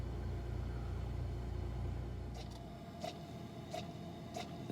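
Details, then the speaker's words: Frigidaire side-by-side refrigerator, model LFSS2612TF4: damper motor clicking about 1.5 times a second over a low hum while the fridge air damper stays stuck closed, so the fridge warmed to 50°F while the freezer kept working; fixed by replacing the damper, part 242303001. "e's a damper inside there a little door that allows the air from the freezer to come over to the fridge and I can hear the door clicking but it was not opening"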